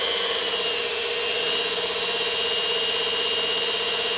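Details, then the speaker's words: Near-new washing-machine motor at about 1170 rpm, decibel meter about a foot away: smooth, quiet hum with a light high whir and no grinding or knocking; much quieter than the lathe motor. "But this is considerably quieter. Like I said, it doesn't make anywhere near the amount of noise."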